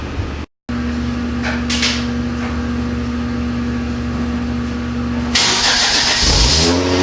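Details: Genesis Coupe during rebuild, radiator support fitted, radiator filled, airbox taped up: engine catches and settles into a smooth steady idle, even hum with no misses or tapping, then a rev; normal idle.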